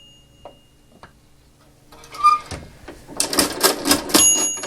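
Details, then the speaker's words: 1921 Monroe Model K mechanical calculator after oiling and reassembly: quiet clicks, a single bell ding, then rapid crisp crank and carriage clatter as the carriage is shifted; working properly. "I should just listen to the bell, right? Okay, I heard the bell, and I heard the bell again."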